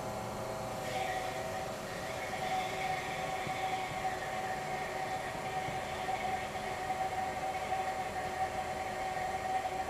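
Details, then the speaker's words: Old GE Monitor Top CK-2-C16 refrigerator, first test run after charging with three cans of R152A: quiet steady hum, faint constant tone, no knocking; a different noise, evaporator getting cold, about 175 PSI high side, running normally. "It's a different noise. Evaporator's getting cold."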